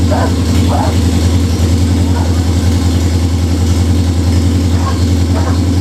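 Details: Budget Beater Chevelle V8, just revived, distributor re-timed. A steady low rumble holds a raised, slightly uneven idle that won't settle. Fast idle; the owner suspects the old fuel, unconfirmed.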